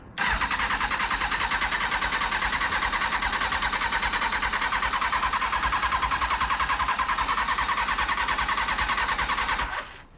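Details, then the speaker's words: 2000 Kawasaki ZX6R (carbureted) being rebuilt cranks steadily about ten seconds on starter fluid with butterflies open but never fires or backfires; ignition judged fine, apparently no fuel from pump, owner suspects fuel flow issue, possibly failed fuel pump. "okay all right well at least I know the ignition is working fine it is going to be a fuel flow issue"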